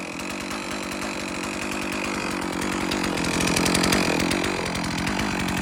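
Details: Stihl MS 460 Magnum chainsaw after rebuild (new top end, piston, ring, carburetor, muffler, fuel filter), already warm: loud, steady high-revving two-stroke buzz climbing slightly near the end, clean and even; normal running, a little rich.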